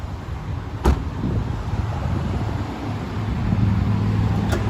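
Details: 2004 Toyota Corolla Altis 1.6 E VVT-i petrol, never run on gas, engine bay: one quick crank starts instantly, then smooth, low, even idle that picks up slightly; healthy engine.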